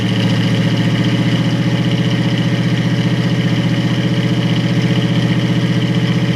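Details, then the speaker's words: 1937 Buick Century with 400 cu in small-block Chevy and chokeless Edelbrock 600 carburettor, first cold start of spring: steady low idle with uneven pulse about three times a second, rough until warm. "it's got an elbrak 600 carburetor without a choke so it's kind of cold-blooded so i might have to pump it and crank it for quite a while"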